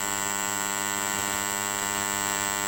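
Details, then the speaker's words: Freshly rewound 5A box transformer (double CT, 940 W) with loosely fitted I-core, primary winding tested on 220 V mains: loud, steady hum with a bright buzzing edge, no rattle or crackle. Normal transformer hum. "Kita hidupkan trafo. Trafo ini bergetar. Biarkan hidup dengan beberapa menit. Tidak perlu takut, tidak perlu khawatir. Ini bersuara dengan keras."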